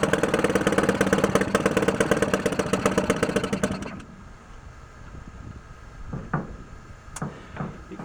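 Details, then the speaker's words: 1949 Atlas Royal 1.5 hp outboard barn find, cold start with choke: pops along unevenly at about three beats a second, then stumbles and dies; rough coughing running, and owner thinks the air-fuel mixture needs adjusting. "I try it maybe one more after that it's coughing a little come"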